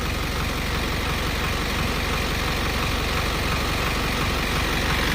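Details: Diesel vehicle that stumbled while driving, after its injectors were replaced and with no fault codes showing: a steady, even diesel clatter at a settled idle with no stumbles or misses; the engine sounds healthy.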